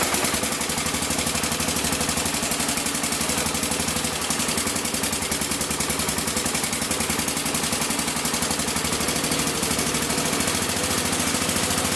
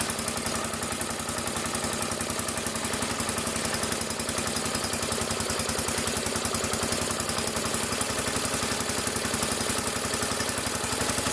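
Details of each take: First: Massey Ferguson 14 garden tractor with Kohler K321 single, before carb repair with the carb set to stock specs: it chuffs along fast and uneven with a ragged, popping exhaust and won't take throttle; cause not yet found. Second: Massey Ferguson 14 garden tractor, Kohler K321 single-cylinder, after carburetor repair: even, steady idle with no more pops or backfires from the exhaust; choke and throttle working. Normal idle.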